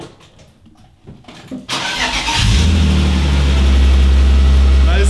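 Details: BMW E36 with a loud scraping noise that rises and falls with rpm: engine runs with a heavy low hum and a rough grinding edge. Pressing the clutch changes nothing and the noise stops when shifting; the transmission input shaft points to a worn pilot bearing.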